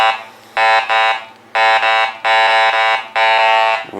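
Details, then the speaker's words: Garrett Ace 400 metal detector in custom mode with everything above iron notched out: repeated warbling mid-pitch tones about once a second as the coil passes nails, iron targets still signalling through the notch until one more segment is notched. "they are still coming in so we just screw Mount one more there they go now they're gone"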